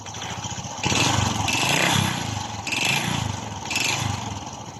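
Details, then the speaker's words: Honda RS 125 Fi before teardown, owner reported noise in engine: four throttle blips with hollow rattling clatter from the lower engine; connecting rod or piston slap suspected. "so Tingan niyo guys saan kaya nanggaling ang tanog meron ang kanyang makina Ito ba ay connecting rod o Ito ba ay piston slap"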